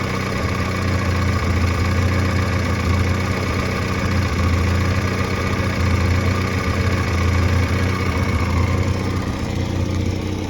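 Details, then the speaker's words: 1986 Pontiac Fiero after a tune-up with a new fuel filter and work on the idle controller pintle: a low, even idle of about 800 rpm with a steady throb and no stumbles, and good oil pressure. Normal idle. "Much better. Yep, idling right about 800, right about where it should."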